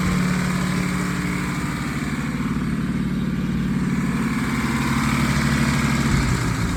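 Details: 1951 Packard straight-eight, sat 30-plus years, first run on 12 volts instead of 6 with no accelerator pump, after fixing a grounded points wire: steady, even idle with a soft regular pulse and no knocks or misses; running smoothly.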